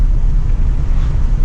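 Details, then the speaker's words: Chevrolet Silverado after an EGR delete and exhaust leak repair, on a second-gear wide-open-throttle pull; deep, even low rumble with no ticking or puffing, exhaust now sealed and very quiet. "exhaust leak made this thing a whole new animal I swear blue just sounds like a vacuum cleaner though it's so quiet I like it I approve"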